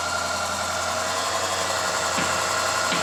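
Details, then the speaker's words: Range Rover 405 naturally aspirated engine, checked for an engine humming noise, after a new belt and pulley and replaced engine mountings: even, steady run with no hum or drone, a smooth idle with a couple of light clicks. Sounds healthy. "start okay na siya mga kaibigan nakakahatak"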